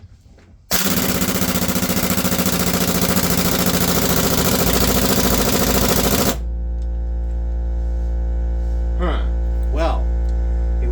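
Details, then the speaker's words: Impact wrench on reverse speed 5, removing truck lug nuts, fed by a Kobalt 8-gallon air compressor: rapid hammering, then the wrench bogs way down and loses all power from insufficient air supply while the compressor drones. "Yeah, you can just hear the impact bog way down. It just loses all of its power, so."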